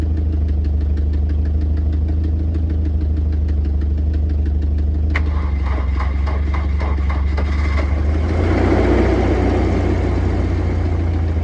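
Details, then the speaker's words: 1993 Volvo 240 DL with AW70 automatic, sitting two years on bad gas: rough idle with a light, quick ticking riding over the engine, even with idle; some top-end noise after long storage. "that is a little bit of top end but like i said this thing hasn't ran in two years"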